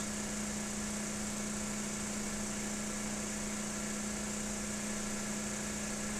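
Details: Lab synchronous motor loaded to 6 N·m by a prony brake while the DC field current is varied. Speed stays at 1800 rpm while in sync. Constant low hum, no surging: normal synchronous running under load.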